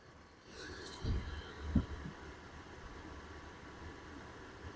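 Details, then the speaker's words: Dometic RV furnace after replacing the squeaking blower motor: a couple of thumps at light-off, then a soft, steady blower rumble with hot air and no squeak or squeal. Normal running, no squeal. "There we go. It's working. Yep. We got hot air coming out. I hear no squeaking."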